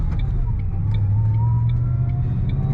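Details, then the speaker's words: 2007 Ford Mustang Saleen S281 supercharged V8, manual, under 15,000 miles, driving and accelerating: deep rumble with a faint whistle rising in pitch as revs build; healthy supercharger whine. "I don't know if you can hear that whistle it's whistling and whining in all the good ways"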